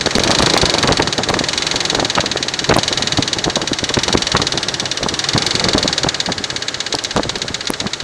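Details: Infiniti Q45 V8 at idle: light, fast ticking at a constant rate over a steady idle; the owner is unsure whether it is lifter noise. Top-end tick, cause not confirmed.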